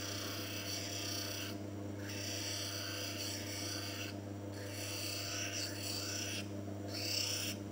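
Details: Manual lens faceting machine: steady motor hum under an even scraping rasp that eases off and returns with each pass of the lens along the stone's rotation; normal V-bevel grinding to fit the frame.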